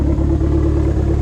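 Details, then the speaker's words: SRT-4 after swapping engine bay fuse box and dash harnesses to cure a no-start with SKIM light lit and no ECM communication; fuel pump now primes and engine idles evenly with no stumbles. "We did have a fuel pump. We didn't have that before. This thing should start and run. Oh my goodness! Listen to that!"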